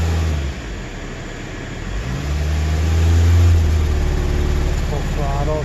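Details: 2010 Toyota Corolla S at idle with pending P0304 cylinder 4 misfire code: thumping idle about four beats a second with occasional uneven dips; intermittent misfire, traced on scope, cause not confirmed.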